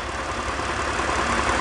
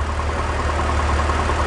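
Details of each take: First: BMW E46 330i/325i petrol engine after a repair for P0171/P0174 lean codes, idling smoothly with a steady even hum and no hiss or stumble. Fuel trims are now normal. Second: BMW E46 330i/325i idling with the valve cover to oil separator tube disconnected: rough, uneven stumbling idle, a large vacuum leak causing misfire, fuel trims rising.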